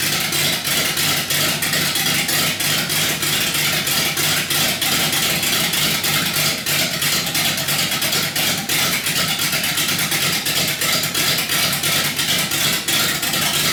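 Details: 318 V8 built for a rough idle: compression raised with Keith Black 6cc domed pistons plus a Comp Cams camshaft; steady choppy lope about three beats a second with sharp crackling exhaust, normal cammed idle.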